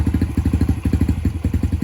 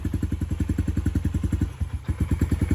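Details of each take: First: 2019 Yamaha TTR 50 after carb work, previously running only on choke until warm: quick, even single-cylinder idle, about ten pulses a second, with the choke off; idle now richer, and the idle setting may need adjusting. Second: 2019 Yamaha TTR 50, cold-natured, only runs on choke until warm: after turning choke off, single-cylinder idle thumps unevenly about three to four per second, stumbles and stalls; running lean.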